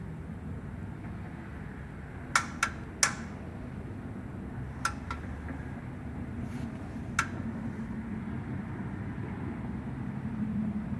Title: Big Block ticking sound after shutoff